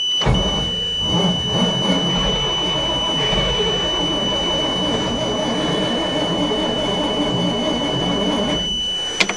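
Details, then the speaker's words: 427 dump truck, unrun since mid-July, cold start at -3 °C on third battery, choke partly off: starter grinds steadily with thin whine but engine never fires; owner suspects fouled plugs, weak batteries in cold. "[ __ ] I thought for sure it would go. It is awful cold."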